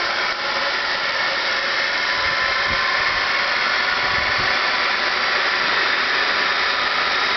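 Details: Motor bench-run on small 12V AGM batteries during brush seating: steady high-pitched hiss and rushing whir, no knocks; still fairly noisy but substantially quieter than at first setup as brushes seat in.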